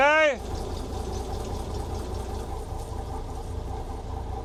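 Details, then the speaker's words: Volvo Penta TAMD 71B marine diesel, unrun 10 years in a partially sunk abandoned boat, first run in forward gear: low, even rumble under wind and chatter, no knocks or rattles; sounds healthy, bearings still to be checked. "There's no there's no big rumbling noises."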